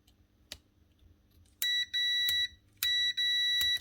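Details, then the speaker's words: Bosch GBH 4-32 DFR hammer drill that won't switch on: two clean high-pitched continuity-tester double beeps across the switch, leads and brushes okay; switch is fine, field suspected next. "right so it's not the switch's okay brushes are okay and the switch is okay"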